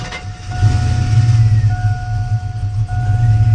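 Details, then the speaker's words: Cammed V8 truck first start after reconnecting battery following work: heavy, uneven rumble with lumpy stumbling firing, chime beeping; rough start, also happened on first start previously then stopped. "there we go a very rough start but uh i have no idea it did that the first time too when i first tried it"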